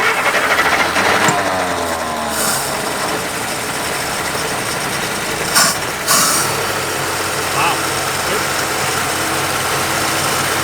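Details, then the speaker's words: 1950 Plymouth six-cylinder, long sitting, fed gas by pouring, idling at 620 rpm: slow, lumpy idle with an uneven chuff and shaking; possible misfire. "Not bad. Well, it's got a little bit of a chuff, doesn't it? We got a little bit of rusty town there. it might be missing. It might be running on."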